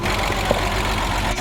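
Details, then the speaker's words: Cheap Porsche Boxster that hadn't run in a while, first start after fuel pump replacement with fresh gas: rough, lumpy idle with uneven rumble, engine missing on one or more cylinders; owner suspects spark plugs, possibly injectors; smoking, misfire. "I think it's missing it probably needs some spark plugs or something it probably needs spark plugs"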